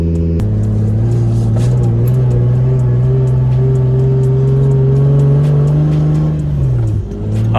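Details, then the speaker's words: Lexus SC300 that had been misfiring, running after a bent part was replaced, checked for misfire: a smooth, steady tone with no stumbles or skips, sounding much better. Music plays in the background. "so far so good it sounds a lot better too"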